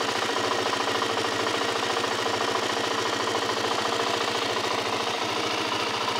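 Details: Suzuki LTZ 400 quad at idle: quick steady ticking about three and a half per second over the engine, cause unknown.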